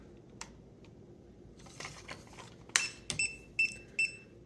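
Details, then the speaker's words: ECO-TH 16-line self-leveling laser level just switched on: after some handling clicks, four short high-pitched beeps about half a second apart warn that it is out of level while it self-adjusts. "So it'll beep when it's out of alignment, so things aren't level."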